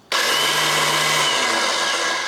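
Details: BMW K100 motorcycle, starter motor reinstalled, in neutral: high-pitched whirring spin stopping after a couple of seconds without cranking the engine; starter spinning free, common starter sprag clutch issue.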